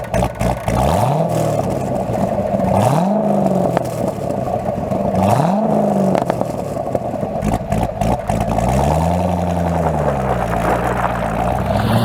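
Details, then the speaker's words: Corvette with newly rebuilt LS3 V8 driving on base tune, slight lag felt; deep rumble sweeping up through the gears in repeated pulls, clean and strong, no knocks, normal V8 exhaust note. "it sounds orgasmic it sounds sensational oh i definitely do feel a little bit of a lag since it is in the base tune"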